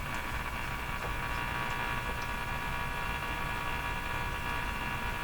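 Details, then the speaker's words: Silvertone 101-583-2 multiband tube radio on test during band checks, no loop antenna fitted; constant low mains hum with hiss that does not change in pitch, source unknown. "I don't want to lean over top of the radio a little bit of a hum there"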